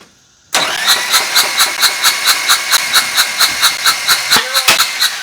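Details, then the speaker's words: Old engine with pushrods popping out, cranked by the starter: quick, perfectly even beat with no labouring strokes; zero compression; lifters need pumping up with oil pressure. "Zero compression again."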